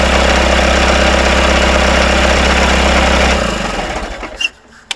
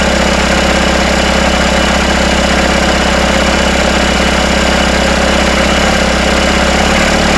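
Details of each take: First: Rebuilt Isuzu 4BD1T diesel in Hitachi EX120-2 excavator, first start, idling with intake off: dense steady rattle over low drone from bolts at the engine's rear coming loose. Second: Freshly rebuilt Isuzu 4BD1T diesel in a Hitachi EX120-2 excavator on first start, running a steady smooth idle around 1250 rpm after loose rear bolts were tightened; no rattle or knock.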